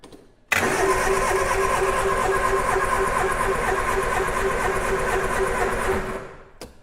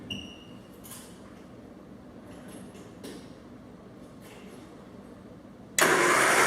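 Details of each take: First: 1967 Triumph Spitfire junkyard revival: steady starter cranking about three compressions a second for six seconds, never catching; no spark at the number one lead, points badly pitted, to be replaced with new ignition parts. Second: 1967 Triumph Spitfire junkyard revival with spark plugs removed; quiet, even spinning with no compression pulses as the starter turns the engine freely; normal starter cranking.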